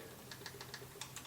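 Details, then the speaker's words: Honda B20A5 OHC engine for a 3rd-gen Prelude, out of the car: light quick ticking rocker clatter, estimated at about 0.010 in clearance against the intake 0.003–0.005 in and exhaust 0.006–0.008 in spec; excessive valve lash. "if you can hear it like that that's probably pretty close to ten thousandths of an inch"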